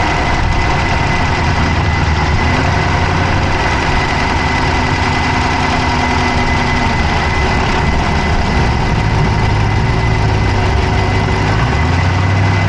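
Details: Dodge Charger Hemi V8 at idle, camera (Insta360 Go3) inside the engine bay on the passenger side: heavy steady idle with a rapid light clicking over the rumble; fast tick, source not pinned down.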